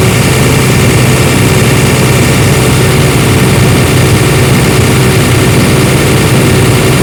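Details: AIRMAN diesel air compressor that cranked but wouldn't start because fuel pump and starting relay were de-energized, after fuse fault traced and fixed; steady, even diesel rumble at idle with no misses, knocks or hunting; normal idle.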